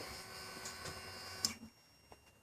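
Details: 2006 Suzuki Boulevard C90 with newly installed Bully fuel processor, K&N filter and Road Burner exhaust, which won't turn over, FI light on with code C00: thin high whir about 1.5 s at key-on, cutting off cleanly; fuel pump priming normally.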